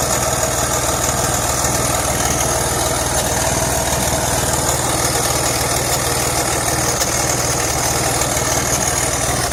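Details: 2004 BMW X3 3.0i M54 inline-six idling with a faint uneven tick on the exhaust note; owner suspects an exhaust leak somewhere, location not found.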